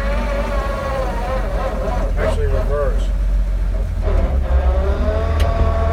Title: 1941 DODGE WC12 transmission noises (WHINE) - PART 2 04-22-19